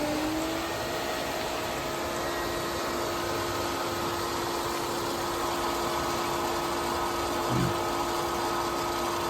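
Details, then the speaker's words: After replacing the cap O-ring on a leaking Pentair Rainbow 320 chlorinator, the pool system is switched back to auto and the pump restarts. The motor hum climbs quickly to a steady, smooth drone with soft water rush; it runs normally with no leaks. "You can hear the system start to come back on."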